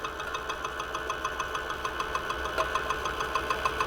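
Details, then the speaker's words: Homemade generator built from two vehicle brake discs, spun on a lathe at about 360 rpm lighting a bulb: sharp regular ticks about three per second over a steady hum, because the stator shifts on its lathe mounting. "podívejte se na ten hluk, je to proto, že se stator pohybuje od soustruhu"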